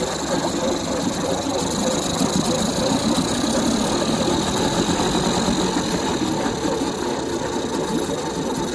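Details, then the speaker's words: Small jon-boat outboard with only forward and neutral, run after its dirty carburetor was taken apart; a steady, even buzz with no misses or surging, a clean, healthy idle. "Looks good, sounds good. All right, sounds good."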